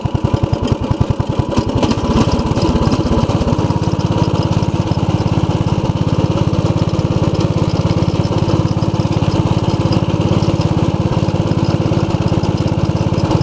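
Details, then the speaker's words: 1990 Craftsman riding mower, 15 hp OHV Briggs, repaired after fuel-diluted oil and suspected hydrolock, loose engine mount fixed: catches and settles into a steady beat of about three and a half pulses a second, no surging; running smoothly as blades engage. "I'll turn the blades on very smooth run Briggs"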